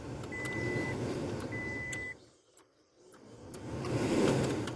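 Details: 2005 Toyota Tacoma at key-on after fitting a replacement blower resistor: a whooshing fan hum with a steady chime cuts out for a second, then surges back. The erratic blower motor is judged exactly what's wrong; the resistor got hot quickly and looks slightly discolored.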